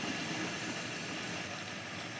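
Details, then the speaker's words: 1955 Pontiac Chieftain first start in decades after priming: engine runs evenly under a steady hiss, valve train came right around, no clanking or banging from bottom end; has oil pressure. "It doesn't sound that bad. Valve train came right around. I'm gonna guess it's got oil pressure. I don't hear any clanking or banging. First time running, I'm gonna say in decades."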